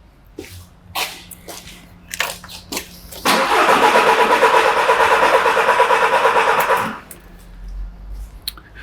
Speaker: I think we can safely say that every third peak We have certainly got a compression down